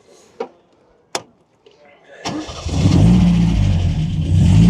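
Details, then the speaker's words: MGA with MGB B-series engine and old-fashioned carburetors, first road start after 123 electronic distributor fitted and tuned: a couple of clicks, then prompt catch and smooth, even idle; starts well. "does sound nice, doesn't it? Starts well."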